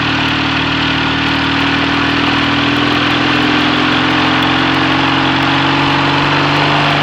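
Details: BSA A65 Thunderbolt twin with Boyer ignition on a test ride under load with lights on, after the spark plug gaps were closed slightly; plugs, resistor caps and battery are new. It pulls steadily with an even exhaust beat and no dropouts: misfire cured.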